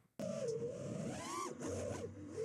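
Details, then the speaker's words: FPV drone motors: motor whine swoops with throttle and stutters in choppy dips on pitch moves while roll moves stay clean; stutter caused by electrical noise on the gyro. "You listen to how you'll hear it like stutter on the pitch moves, but on the roll axis, they're nice and real clean."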